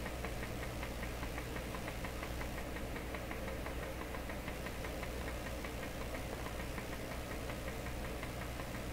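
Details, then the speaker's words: DeForest 10DA517 AM radio fitted with glass tubes instead of specified metal tubes: faint, steady putt-putt drumming under the hiss, a low regular motorboating pulse instead of the usual squeal; cause not yet found. "that's not so bad even like that it's very quiet I don't know why it isn't screeching at me sounds like some pleasant drumming okay very faint"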